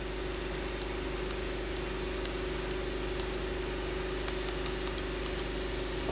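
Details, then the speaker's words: 1997 Lincoln Town Car Ford 4.6L 2V with timing chain failure, engine off during leak-down test: steady air hiss from cylinder six, gauge showing only about 30%; suspected intake valve problem, head must come off. "and cylinder number six is only showing about 30% on that gauge so we know that and we can hear it we can hear it hissing uh so we know there's a problem there"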